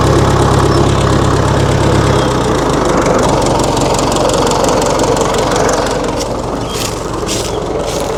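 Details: 1960 Massey Ferguson FE35 tractor, 4-cylinder diesel, after sitting unused in a paddock for a long time: settles into a steady, even knocking idle of about three beats per second, low and solid, running cleanly.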